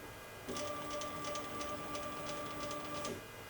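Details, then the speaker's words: Genmitsu PROVer V2 4030 CNC run from the wireless offline controller: steady electric hum with fixed tones for about 2.5 s, no ticking; the stepper is energised but the axis won't jog, cause unknown. "but it's not moving I don't know why my machine's not moving"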